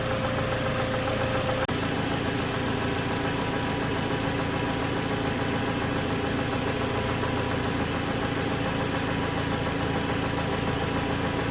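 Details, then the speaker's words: Cold 2007 Toyota Tacoma 2.7 four-cylinder, running about two to three minutes, idling then revved: dull, fairly steady lower-engine knock; changed when injectors 1/3 were cut; teardown found a spun connecting rod bearing. "airly quiet but it's when you well there's a bit of a knock there and it's cold right now it's only been running for about two minutes three minutes so i'm gonna rev the engine up and you're gonna hear this noise"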